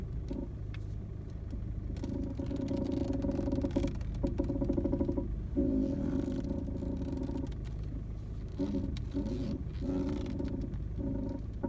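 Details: VW Golf Mk7 1.6 TDI idling while the steering is turned; intermittent groaning creaks, rubbing and uneven knocks from the steering, cause unknown.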